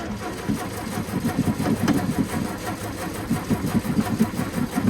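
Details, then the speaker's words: Classic carbureted car on first start attempt, fuel pump heard running: steady starter churn about four to five beats a second with no firing; cranks, won't start, owner suspects carb needs priming. "on. Okay, fuel pump is cranking just fine. I might have to prime the carb a little bit."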